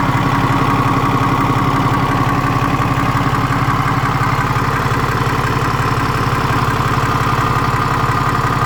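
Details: BMW N57 diesel at idle: regular knock about two per second, appearing and vanishing suddenly, only at idle; crankshaft and conrod bearings, timing chain, belt tensioner and idler pulley already replaced; cause unknown.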